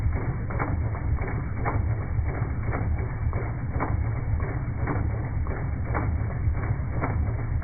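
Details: Jeep Durango 4.7 V8 at idle: a light, fairly regular tapping knock about once a second over a steady low rumble; source of the knock undetermined.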